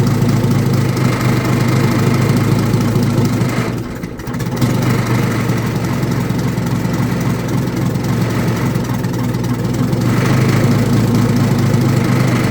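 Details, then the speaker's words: Old Detroit Diesel two-stroke in a vintage GMC truck, with the exhaust off at the manifold: a heavy, uneven drone with a lumpy beat and a brief sag, smoking, running rough; the cause was the blower emergency air shutoff valve stuck shut. "Well, it clearly ain't right. I mean, it's running like absolute garbage. And smoking the whole time."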